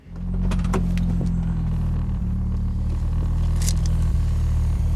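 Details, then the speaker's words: Audi Quattro that just had a new fuel pump fitted, restarted after flooding and cleared by holding the throttle wide open: it catches almost at once, then holds a low, slightly lumpy rumble with faint stumbles. Flooded engine clearing. "cut off on the fuel pump so I can like lean it out when it gets flooded like that cuz it just keeps pumping more gas into the cylinder."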